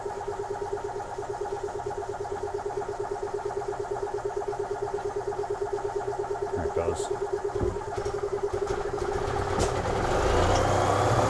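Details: 2004 EZGO TXT gas single-cylinder golf cart, formerly crank-no-start, after full service: steady even thumps about three per second, picking up smoothly near the end; runs good and sounds better.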